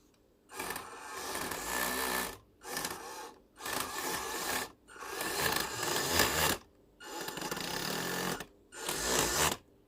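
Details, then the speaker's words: Upgraded WPL B36 1/16 RC truck after a few runs: short bursts of harsh gritty whirring as the motor spins up; pinion skipping on the spur gear, gear grinding from an undersized motor pinion. "Hello, hari ini baru beberapa kali jalan-jalan sudah dia ada buat problem, so barangkali ada yang longgar."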